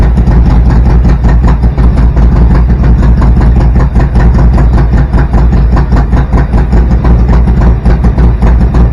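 Steady, lumpy V-twin lope at idle, beats coming evenly with no knocks or ticks on top; engine sounds healthy.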